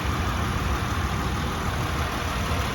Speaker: Oh, and you also want to turn the engine on and hear any noise. So let me turn it on. The engine sounds nice and quiet.